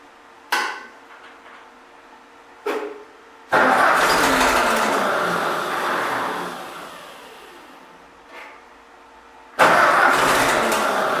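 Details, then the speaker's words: Freshly rebuilt Ford tractor, brand-new carburetor, first start on battery charger: a few cranking bursts, catches, runs ragged and uneven, dies and restarts; rough running, needs adjusting. "all right we have some adjusting to do but it runs"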